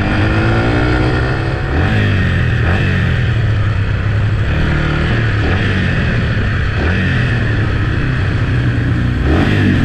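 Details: Yamaha TT-R 125 single, test ride: revs up and settles cleanly, steady beat with no misses or clatter; runs good, clutch good, brakes work, may need front pads, needs choke cable.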